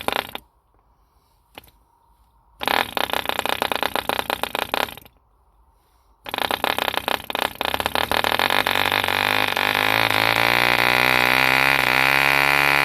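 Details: 1948 E.D. Mark II Competition Special 2cc long-stroke model diesel, first start after rebuild from two incomplete engines: several failed flicks, then catches and runs a fast even buzz climbing smoothly in pitch as it clears; healthy running.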